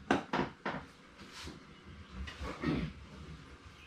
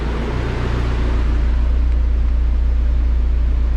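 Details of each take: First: Turbo Dodge Neon SRT-4 first start after AGP front-mount intercooler, BorgWarner turbo and timing belt work, codes stored; engine catches and settles into uneven, lumpy idle with irregular stumbles; rough running on start, cause not confirmed. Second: Dodge SRT-4 after AGP front-mount intercooler and BorgWarner turbo install, used OEM Mopar part fitted, warming up to temperature; steady, even low idle with smooth rhythmic pulse, no knocks or stumbles; normal idle.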